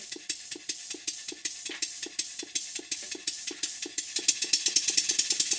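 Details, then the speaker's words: Model steam engine for a Stuart 504 boiler plant on its first run on air in the workshop. Sharp, even beat about 140/min with hissing each stroke. Valve timing is wrong; piston rod gland and a drain are also blowing slightly. "but you can also hear that the valve timing is not what it should be"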